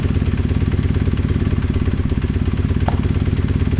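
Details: Kawasaki KZ440 twin after starter motor repair and a recent tune, petcock on, fueled and oiled: settles into a quick, even, steady exhaust beat with no knocks or misses. Running healthy.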